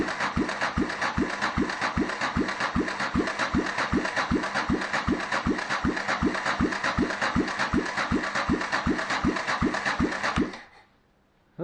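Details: 1993 Yamaha XT 600 E (3TB) enduro that sat about twelve years, cranked by a starter from another bike on a booster pack: steady cranking with even compression thumps about 2.5 per second and no firing. The starter is too weak and the plug is fouled black; cranks but doesn't start.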